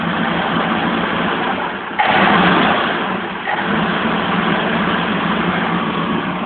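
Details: 1971 BMW 1800/2000ti engine just brought back to life, revving: catches and runs evenly, rises smoothly when revved and settles without misses or knocks; normal running.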